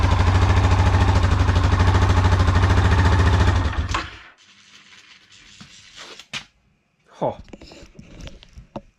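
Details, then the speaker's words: Yamaha Grizzly 550/700 ATV after a full wet clutch rebuild with an OEM one-way bearing, some nuts not torqued to spec: a deep, even single-cylinder idle thump with no rattle before shutdown; the clutch sounds normal. "perfect. That is exactly how a Yamaha clutch is supposed to sound."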